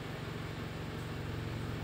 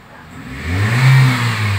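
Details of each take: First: 2003 Toyota Vios idling with AC on, before carbon-cleaning treatment; owner reports knocking, sluggishness, unstable rpm, heavy pull: low, uneven lumpy idle rumble under AC load; engine shakes and runs rough. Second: 2003 Toyota Vios after carbon-cleaning engine treatment for heavy, sluggish throttle and knocking: picks up cleanly from idle into a smooth rev with no stumble or bog; normal throttle response.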